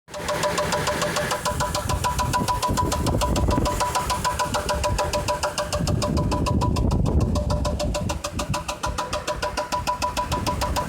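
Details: 2006 Chevy Trailblazer with the 4.2L Vortec engine idling: a steady, rapid metallic knock; whether it is top end or bottom end is unknown.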